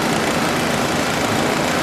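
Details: One-speed electric fan after repair, bypassing the burnt resistor and speed control so power runs straight through, drawing about 1.45 A: constant airy rush at one steady speed with no rattle, grinding or rising hum.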